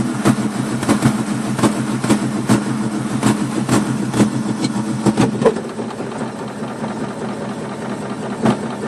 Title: 1965 mustang 2150 carb rough idle